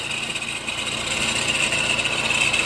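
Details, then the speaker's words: Honda CR-V 2.2 diesel at idle: steady high-pitched whir; conclusion is a worn alternator bearing, and the alternator was then removed for replacement. "так друзі заміну провели ролики шумно пропав і все висновок що це є підшипник генератора"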